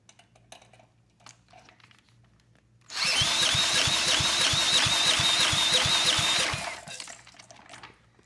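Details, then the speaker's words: 1987 VoltMaster 4,000 W generator, 8 hp Briggs & Stratton flathead, no compression before the head was redone and torqued. Cranked with a drill, even firm compression pulses about three per second; reads right at 60 psi, should run. "Beautiful. We're right at 60. So this absolutely should run."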